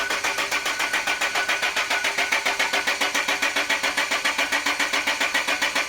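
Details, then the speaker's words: Land Rover after torque converter/crank seal replacement and fluid refill, won't start: even starter cranking about 110 beats a minute, no firing at all; friends pointed to fuel, system bled. "Okay guys, so it's actually a few days later, and after we shut down the Land Rover and refilled the fluids, we just couldn't get it to start again."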